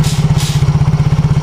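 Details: Yamaha X-Ride scooter after the repair: even, brisk putter of about thirteen beats a second holding steady without stumbling; normal idle, exhaust no longer pungent.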